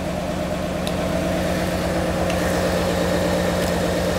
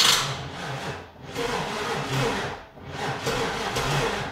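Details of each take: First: 1996 car, first start running without jumper packs: a steady, even V8 idle with a smooth low rumble and no misses or knocks, cleaning up as it warms. It is a normal idle; a leaking injector stopped after being tapped. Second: 1996 car, first crank with the fuel injector fuse pulled, jumper attached. The starter groans very slowly, about one turn every 1.5 s. Slow cranking; owner suspects a dead battery, not confirmed.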